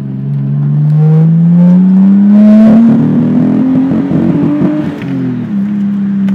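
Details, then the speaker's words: Nissan Skyline RB20DET loaded in second gear: revs climb then turn ragged near 5,000 rpm, hesitates but keeps pulling; owner unsure whether spark or fuel, fine in normal driving, idles 800–1,000 rpm; high-rpm misfire, cause unconfirmed. "got quite a nasty mess up around 5,000 it hesitates it'll keep going but it doesn't want to"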